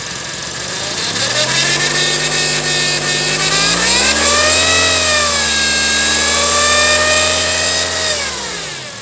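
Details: Honda CR-V engine revving up and falling back smoothly with a constant high-pitched hiss or whistle on top regardless of revs; abnormal engine noise, source undetermined.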